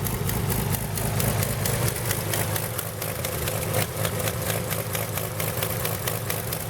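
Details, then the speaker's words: 1917 Buick E-49 at slow idle, warm (temperature never above 127–129): sharp puffing tick about twice a second over low rumble, sputtering from a leaking exhaust manifold gasket; owner plans to loosen it, fit a copper gasket or stove putty. "that's the sputtering that you hear there's a leak i gotta loosen that and whack that whack that gasket in copper"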